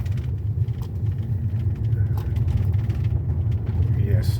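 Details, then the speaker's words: 2013 Toyota Avalon on a test drive over the same rough road after replacing the electric power steering damper 45254-28040. Low, steady road rumble with no knocking or rattle from the steering; the damper was the cause, not the tie rod or bushings. "so the problem is solved and that is the main problem causing the B you might think it is the undercoverage the tie rod or a bushing or something it is just the electric power steering damper"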